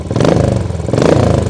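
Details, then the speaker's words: Royal Enfield motorcycle, formerly a non-runner with no-spark ignition fault, fully reassembled: fires up on the button, even quick exhaust pulses swelling cleanly with throttle blips, no misses or knocks; normal running. "just show you that it actually fires up on the button"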